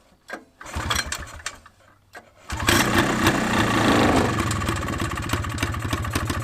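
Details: Honda FL250 Odyssey on first test run after rebuild, gas splashed down the intake to start: sputtering cranking catches at 2.5 seconds, settles into a fast, steady single-cylinder putter with even beats; normal running.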